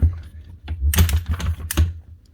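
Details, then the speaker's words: Virutex MC16L self-feeding door lock morticer: as the handle is cranked, uneven dry clicks over a low hum; ratchet feed stepping the motor down each rotation is stiff and rough, not smooth; machine also struggles after 10–20 minutes running. "You get that click. She's also stepping the motor down every rotation. So every time you go around with the handle, she's going down another step to actually take another cut off. It's just not acting very smooth."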